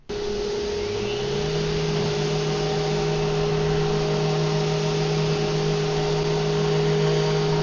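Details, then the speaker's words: Vevor random orbital sander on white oak; it felt like it wanted to jump out of the hand, and the owner suspects an imbalanced sanding disc causing the rocking. Spins up to a steady hum with faint uneven wobble; excessive vibration. "It just felt like it was, I don't know, wanting to just jump out of my hand, almost like back and forth."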